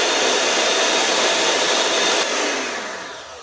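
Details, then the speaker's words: Bolde Super Mix Turbo mixer on 220 V after motor and gearbox replacement, run through speeds and turbo: strong even high-speed roar winding down smoothly, no knocking, grinding, rubbing or burning smell; normal run. "Normal dan nggak beradu dan nggak bau gosong. Mantap ini mesin barunya."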